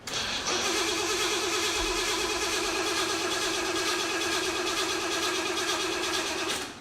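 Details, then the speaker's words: 1975 Jeep CJ-5 with Chevy 383 and Weiand 671 supercharger, hotwired after sitting over a year; steady cranking for about six seconds with even compression pulses but no firing; suspected no fuel, gas evaporated, mechanical fuel pump delivering nothing. "I bet you there's no gas in it it's been cooking for like a year"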